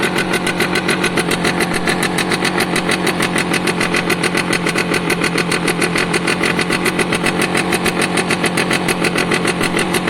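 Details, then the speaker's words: Piaggio Diesis 100cc two-stroke scooter idling, with oil pulsing through and pulsing harder when revved. Steady idle with sharp, crisp puffs about three a second; small exhaust hole visible, another heard but not found. Exhaust leak. "But at the moment it sounds healthy-ish. I can hear a hole somewhere else, but I can't see one."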